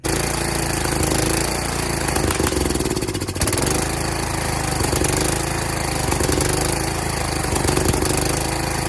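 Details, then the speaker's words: Kohler Courage single-cylinder engine after cylinder head swap, carburetor replacement and valve lash adjustment, mounted on a tractor: loud chug that stumbles, surges and briefly drops out; runs poorly, owner suspects badly out-of-adjustment exhaust valve lash. "Problem is, it doesn't really run very well. I think the reason why it doesn't run very well is because when I adjusted the heads, the valves, right?"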